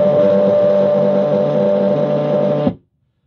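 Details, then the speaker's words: Stepper motor on step-and-direction drive controlled by a PICO, raised from 500 to 650 RPM: harsh steady buzz at one pitch cutting off abruptly; motor stalls, missing steps and vibrating instead of turning. "and that is what happens when a motor stalls stepper Motors when they stall uh or start missing steps very rapidly it just vibrates it can't uh move fast enough"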